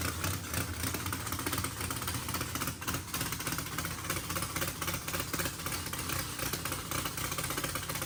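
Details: Mississippi Queen after first start following fluids, oil change, plugs and fuel flush; exhaust had been full of water. Smooth, even idle, steady low rumble, no knocks or misses throughout. Sounds healthy; needs throttle blade, fuel pressure sensor erratic.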